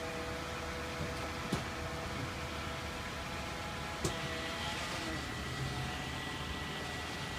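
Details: 2012 Toyota Camry while backing up: two sharp isolated clicks about 2.5 seconds apart from the front over the car's steady low hum.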